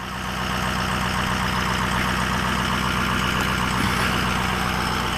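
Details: 2004 Ford F-250 6.0 diesel idling after a crank-no-start was fixed with a new BulletProof Diesel FICM power supply; started with a jumper box after sitting for days. Steady clatter, no hunting or stumbling. Normal.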